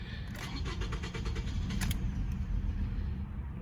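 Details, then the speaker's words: 2007–2011 Toyota Camry with P0171 system too lean code: starter chugs about four times a second, brief low rumble that won't settle; sometimes starts, sometimes cuts right off, fuel pump suspected. "all right so i have some problem with the fuel pump there's some time the car will start sometimes it won't start will cut right off"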